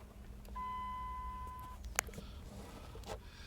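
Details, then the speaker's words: 2001 Dodge Durango 4.7 that cranks with no start and no spark (coils not firing; crank and cam sensors and PCM replaced, no codes): a single dash tone of about a second, then faint clicks. Check gauges warning chime. "this comes on and it says check gauges but I don't know what it could be"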